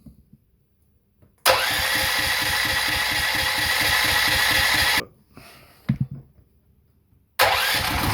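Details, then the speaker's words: Golf buggy after a swap to a 16hp OHV petrol electric-start engine, first start: cold engine catches on the first pull and settles into a steady, even thumping run with no misses or knocks; sounds powerful, normal start and run. "it runs [Applause] away [Applause] oh sounds like there's a bit of power"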